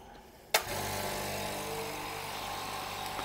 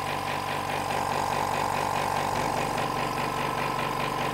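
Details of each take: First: Hyundai SAC 55751 silent (59 dB) compressor switched on, filling tank in about a minute to 8 bar cut-off: steady even hum with light mechanical whirr, quiet enough to talk over; filling normally. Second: Hyundai SAC 55751 silent (59 dB) compressor running with its intake filter tube removed: steady rhythmic hammering with a loud hollow hiss and drone, much louder than with the tube fitted; loud intake noise.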